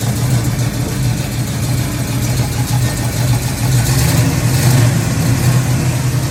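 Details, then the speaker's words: Freshly built Pontiac 400 V8 with erratic compression: rough, uneven rumble with stumbles and pops back through the intake under throttle; misfire, suspected broken valve spring not closing the valve, unconfirmed. "and so he also made a short video of her running and you can hear my pop back through the intake"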